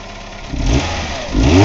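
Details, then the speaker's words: 1998 Ford Escort ZX2 Sport parts-car engine with about 120,000 miles, running briefly without coolant on a bypass fuel supply. An even idle swells into two clean revs with slight valve tapping, which is common on ZX2s; it idles smoothly and sounds good. "it sounds good I mean it's got a slight tapping in the valves but I haven't seen very many Z x2s that don't it's running I mean it's idling smoothly"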